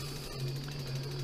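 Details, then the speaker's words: Trikexplor F426E recumbent quad, dual 48V 500W mid motors, throttle-driven four-wheel drive with all wheels turning: all-wheel-drive motor through reduction gear gives a steady low hum and light gear whirr, no grinding, normal motor run. "like that so that's all wheel drive working this motor is now spinning"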